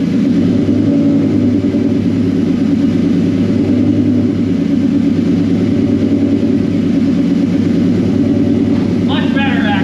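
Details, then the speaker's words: Whipple-supercharged 2003 Ford Mustang Cobra, started right after installing new NGK TR6 spark plugs to check the idle: loud, steady idle with a deep, even rumble and no clear miss; whether the idle improved is not confirmed. "All right, so we'll go ahead and crank it up. I'm gonna see if it idles any better. It's still gonna be god awfully loud and it's close to midnight."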